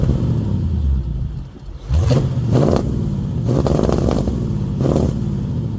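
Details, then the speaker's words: 1951 Mercury V8 with Rochester 2-barrel carb and stock 30-inch mufflers, before straight-pipe swap: low, muffled rumble with a few throttle blips, quieter than owner wants; normal exhaust note. "again not bad it's not as loud as I'd like"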